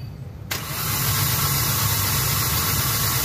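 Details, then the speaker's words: Hyundai Accent petrol engine, codes P0300/P0301/P0302, blinking check-engine light, no power, strong vibration: catches after a brief pause and runs with an uneven, lumpy beat; misfire from no spark on cylinder 1 individual ignition coil. "Misspire. Walang kuryente. Depended coil. Problema ito."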